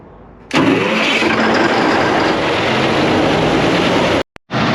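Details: Cummins QST30 V-12 900 HP diesel started after thermostat replacement and coolant refill, checking for leaks. A sharp catch, then a steady, even rumble with no knocks or misses. Normal start and idle.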